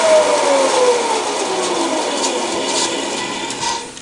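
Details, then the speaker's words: Wallace 16-inch band saw from about 1929, with a 110 V single-phase motor (1800 rpm) geared down through an oil-filled gearbox and new urethane tires: steady motor hum and even blade hiss cutting 3¼-inch stock, easing off at the end. Normal, smooth cutting. "so that is uh 3 and 1/4 in by three and it did that quite quickly so uh nice smooth cut it's uh really smooth actually very impressive"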